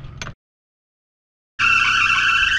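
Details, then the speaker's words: Classic Mercedes W123 engine running: loud, steady high-pitched squeal from a loose drive belt slipping on its pulleys; fix is tightening the belt. "you hear that thing squeaking this belt is loose so we will we will go ahead tight on that belt"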